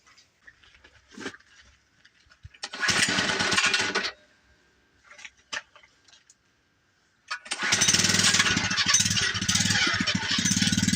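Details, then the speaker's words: Cheap second-hand small-engine mini bike on its first test run: buzzy bursts that catch, cut out and fire again, quitting after half a block; owner unsure whether water on the shut-off grounded the engine or it's a fuel issue, idle possibly set too low. "All right, well, as you can see, first test run didn't go as planned. Made it about a half a block and it quit running."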